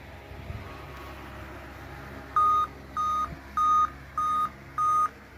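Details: Laptop beeping repeatedly, five even high beeps a third of a second each with short gaps, repeating until restarted; warning for a failing BIOS/CMOS battery, fixed permanently by replacing the BIOS battery.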